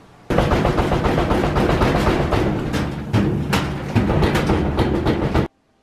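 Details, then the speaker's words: Whirlpool vertical modular washer banging heavily and unevenly on the spin cycle as the tub bounces, three weeks after a repair. The replacement suspension rods (shock absorbers), sold as genuine, fail to damp the tub, just as before the initial repair. "These rods are basically shock absorbers. And look at them bounce. Just like before the initial repair."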